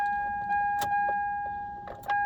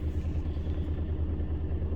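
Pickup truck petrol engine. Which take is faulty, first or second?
second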